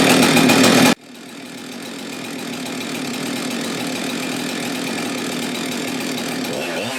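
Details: Husqvarna 372XP X-Torq chainsaw after PTO-side main bearing failure and replacement: burst of loud cutting, then steady high two-stroke buzz at even speed, smooth and strong; healthy running saw.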